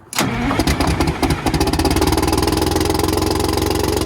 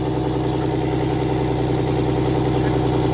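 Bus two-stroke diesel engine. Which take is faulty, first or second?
first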